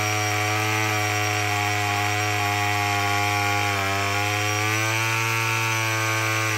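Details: Murray M2510 two-stroke string trimmer after no-start repair, choke off; steady high-pitched buzz with even firing, no misses or surging; running properly.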